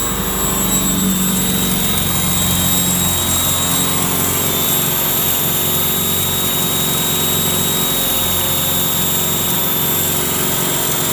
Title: B230 making weird noises